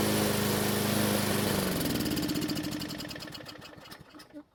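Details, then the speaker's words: Craftsman mower engine on the bench, fuel fed by bottle, started with a drill after no-start repair: smooth even buzz, then winds down steadily when shut off by grounding the coil wire; normal running, no misses. "so fortunately the engine started and ran and even though I could have left it running for another minute I don't typically make it a habit to do test runs on the table for obvious safety reasons"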